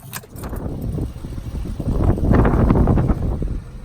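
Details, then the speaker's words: Pontiac Grand Am no-start after a security (PATS) reset, battery believed dead: fast, uneven clicking with no cranking, where before the reset it wouldn't click; it started after a jump start. "And I think the battery is dead, but that's how you do it. You can hear it click now. Before it wouldn't click."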